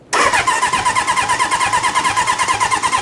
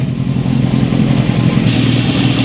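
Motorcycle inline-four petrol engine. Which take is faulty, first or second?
first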